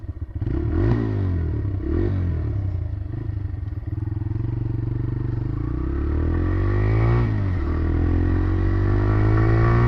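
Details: TVS Raider 125, new bike compared with one at about 28,875 km: steady, deep, even note building smoothly as revs rise, no knocking or rattle; healthy.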